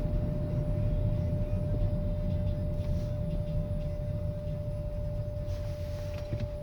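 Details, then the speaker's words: 2005 Volvo S80, MAF sensor check engine code: a steady, fairly high whine holds one pitch over low road and engine rumble while coasting off throttle; goes away on the gas, not with the brake, not tied to rpm or wheel speed. "I want you to listen to the whining noise when I'm off the gas"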